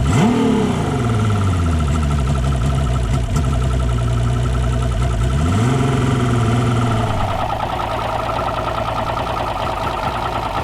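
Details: Sat 2-stroke direct-injection outboard, fuel and air gauges fitted (80 psi air, 90 psi fuel, an air leak noted), blips then stumbles at a lumpy idle; number 2 cylinder misfires, air injector suspected.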